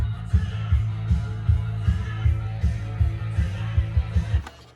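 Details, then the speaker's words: Cassette that had stalled from poor pinch roller and capstan traction, after the pressure pad was replaced and the tape cleaned with alcohol and dried overnight: music plays at steady pitch with no dropouts or dragging, no longer stalling. "And as you can hear, it's not stalling out anymore. Play the other side. Rewind it a bit. So yeah, this has been a success."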